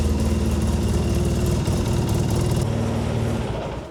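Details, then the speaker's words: 2013 Polaris Sportsman Forest 800 6x6 ATV idling after an oil, filter and coolant service to purge air and recheck fluids. Even, steady idle with a regular low pulse, no knocks or misses. Normal idle. "Let's start it up and run it for a little bit and then recheck the oil and recheck the coolant."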